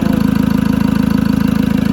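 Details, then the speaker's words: 2013 Ford Ranger diesel that stalled after new glow plugs, now reassembled and running at a steady, even idle. The EGR valve is manually closed with its motor removed, and a blocked exhaust was found. "This thing is back together and at this point running. I'm kind of starting to get happy."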